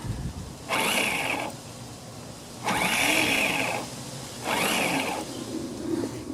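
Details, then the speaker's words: Honda HRX217 mower that sat outside for years: three one-second bursts of free-spinning whir with no engine turnover. Starter pinion doesn't engage; owner suspects a worn or missing part giving too little friction and may buy another starter. "So I think it's turning fast enough. It's just not enough friction or something for engagement."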